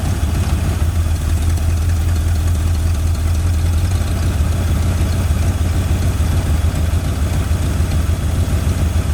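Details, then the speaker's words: Forgotten 1981 Mustang 5.0 V8, first run after revival, no cooling fan fitted: deep, steady rumble with an even beat and no knocks or misses, a healthy idle, perhaps slightly high, which the owner attributes to timing. "that's exciting I'm happy engine sounds really good very healthy"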